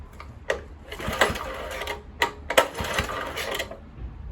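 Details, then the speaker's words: Kohler K101 engine on Atco mower, Walbro carburettor just cleaned, fuel airlock cleared, choke on: irregular sputtering pops in short bursts, catching but not running; too much choke, flooding. "Choke on. Ooh. Too much. Choke off. It's firing."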